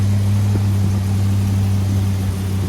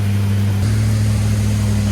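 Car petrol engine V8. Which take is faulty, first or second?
first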